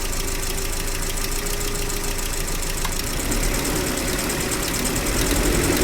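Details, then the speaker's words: Gazelle Business with UMZ-40216 engine at steady idle after cylinder head replacement (cracked head had caused coolant loss, overheating, emulsion): light ticking knock from top end as a pushrod head catches the bore edge, briefly hanging; owner grinding pushrod. "Когда толкатель полностью опускается, головка толкателя упирается в край отверстия. Это создает тот странный стучащий звук."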